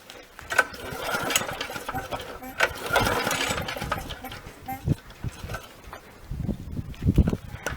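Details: Briggs & Stratton mower, long stored in a shed, with oil-wet spark plug smelling of petrol: repeated rope pulls, each a short burst of chuffing over compression, but the engine never catches; it later runs only on sprayed-in fuel. Cause unconfirmed.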